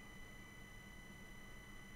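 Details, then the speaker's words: 12 V three-pin computer fan driven by PWM from a QuinLED ESP8266 LED controller, switching between settings 500 and 200; faint steady high whistle near 2 kHz over hiss, fan motor whining with the PWM drive, noisier than without it. "it makes all kinds of weird noises okay let's try another fan I guess so in theory this is possible this just makes more noise than the fat makes without it"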